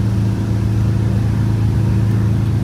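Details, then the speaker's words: Detroit Diesel 8V92TA turbo in a Wanderlodge bus, after the boost issue fix, climbing a grade at about 14–15 psi boost: a deep, steady drone holding even under load with no knocks or misses; the engine pulls healthily. "15 pounds of boost right now the gauge over there showing too yeah closely around 14. we've lost two mile an hour so far"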